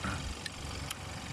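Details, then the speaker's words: 2014 Hyundai Santa Fe, 2.0 turbo, 4x4, at idle during a pre-purchase inspection: a quiet, even low hum with no knocks or misses and no exhaust leak. Engine sounds smooth, no smoke. "Start the car and listen. There is no exhaust leak. Everything here sounds good."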